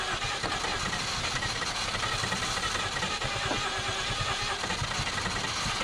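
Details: 1951 Korean War M38 army jeep, not run in years, first start with starting fluid after points diagnosis and fuel pump reconnected: uneven lumpy running, irregular pops, rattly exhaust note; rough on poor fuelling, fuel may still need adjusting.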